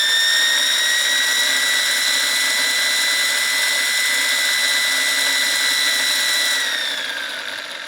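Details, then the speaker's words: Wilesco T115 model steam turbine, shaft turning counterclockwise; smooth, steady high whine with no knocks, easing down slightly at the end. Very little vibration. Normal running. "That's just a really interesting sound. And there is extremely little vibration as you would expect."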